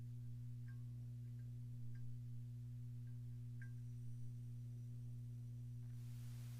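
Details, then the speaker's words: Amplifier hum on an F2B amp: constant low mains hum with a buzzy edge and unchanging pitch, still heard with the channel volume down and tone controls down; owner unsure whether a power-supply cap is the cause, unconfirmed. "so it does the same thing though because you can hear the hum right now when the when the channel volume is down"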